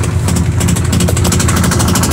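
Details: Sharp automatic washing machine in spin cycle: very noisy, fast steady hammering and rattle about ten knocks a second throughout the spin, caused by a defective tub assembly.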